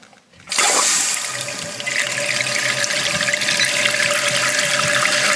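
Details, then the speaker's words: Toilet on well water with a slow fill, after fill valve replacement: strong steady hiss of water rushing into the tank right after the flush, a quick, even refill, noticeably faster; normal refill. "definitely feeling faster you can certainly hear it big difference"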